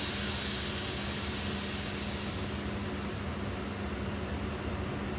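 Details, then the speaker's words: 2023 Ford F-150 load-leveling airbags with DIY wireless controller, pressing B opens the release valve: steady airy hiss easing as pressure drops, faint low hum beneath; normal venting. "So we go ahead and hit A, the pump stops. We hit B, it releases."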